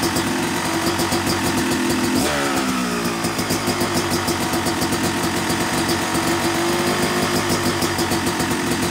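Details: Yamaha YZ250 two-stroke motocross bike (270cc/250cc), break-in after full engine rebuild (bottom end, transmission, bearings, clutch, power valve); crisp even burble with one quick clean blip, settling to steady idle; normal, healthy.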